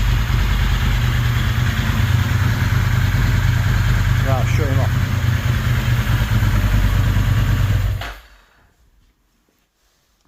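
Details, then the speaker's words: Ducati 916 V-twin idling after replacing leaking fuel-pump quick-connector O-rings, with slight tuning; one cylinder is suspected slightly out of tune and balance is still to be vacuum-gauge checked. Lumpy but steady idle with an even thrum, then switched off; it runs better than expected. "this bike actually runs better than I have expected it did with slight little bit of tuning up there and it runs like a dream"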